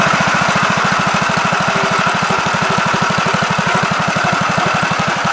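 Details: 1969 Gravely C8 walk-behind tractor, single-cylinder engine fired up in the morning after repairing its no-high-range fault (worn ring found): even, steady thumping about nine pulses a second, no misses or knocks; running healthy.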